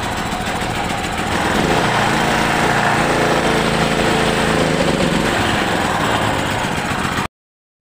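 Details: Petrol generator that would not start, after replacing the spark plug and cleaning the carburettor clogged from dried fuel: steady, even running for about seven seconds with no missing or surging, then cuts off; healthy.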